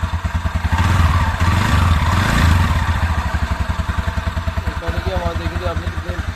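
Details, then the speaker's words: 2019 TVS Ntorq scooter that had a noise and oil-burning problem, after piston and ring replacement and timing chain setting: even, steady thumping idle with no knock or rattle, the earlier noise gone; normal idle. "कितनी ज़्यादा आवाज़ कर रहा था ये देखिए, अब कोई आवाज़ नहीं"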